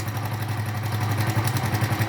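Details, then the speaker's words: Honda Pop 100 burning about 1 L of oil a month, with oil fouling the spark plug, at idle. A fast, light rattle from the top end rides over the beat: cam chain rattle from a slack chain, to be fixed. "batendo ali chacoalhando a parte corrente de comando Tá bom então a gente vai estar corrigindo também a parte de corrente beleza rapaziada"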